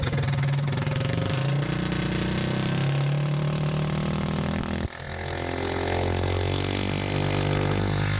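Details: Small single-cylinder engine for a Motovox mini bike, governor and low-oil sensor removed and stage 1 kit fitted, held at about 5,800 RPM: high, steady buzz with no flutter or misses, then drops cleanly back down. A normal, healthy high-rpm run without valve float.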